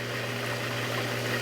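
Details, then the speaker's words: Jacuzzi Premium J Series hot tub after diverter valve parts replaced: steady, even pump hum with smooth water rush, no rattle or surging, no leaks, diverter turned redirecting water; normal spa pump running. "So no leaks right there. I can turn it, and it's diverting the water. You can hear it diverting the water."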